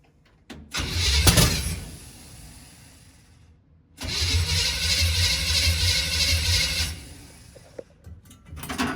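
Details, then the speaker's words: 1951 GMC cab-over at first start attempt, hosed with brake cleaner as starting fluid, no fuel reaching the carburetor yet: two long cranking bursts, it catches briefly but won't keep running. Ignition timing is off. "It should make a good fireball if nothing else. Alright, so timing is off."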